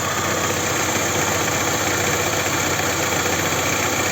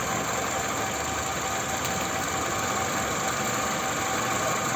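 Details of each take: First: Toyota Camry 2.4 2AZ-FE on a cold morning idle: a busy, loose clatter and a faint uneven knock from low down, about three per second. Suspected balance shaft knock; the intake VVT-i sprocket also rattled briefly on the first cold start. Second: Toyota Camry 2.4 2AZ-FE after a new tensioner was installed: steady, even idle with a smooth hum and no knocks. The balance shaft noise is gone and the engine runs well; only the engine mounts are worn.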